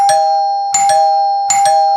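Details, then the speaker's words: 1955 NuTone K14 recessed 2-note door chime, reassembled with resonating tubes amplifying sound, unlit button wired for front door: three clean ding-dong pairs, bright upper then lower note; chime works properly. "and you can hear how much louder it is once it's all being reassembled because the resonating tubes are what amplifies the sound"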